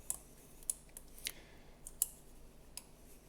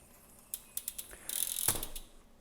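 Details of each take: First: PLANET3 hub install on Specialized Creo SL, prying the ring gear up: faint irregular sharp clicks; sun gear also displaced upward, requiring removing the ring gear and re-pressing the sun gear. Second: PLANET3 planetary hub on a Specialized Turbo Creo SL centerlock wheel, after proper installation with the ring gear not seated too deep. Light ratchet clicks and a brief smooth gear whir with no plastic scraping; the gears mesh normally.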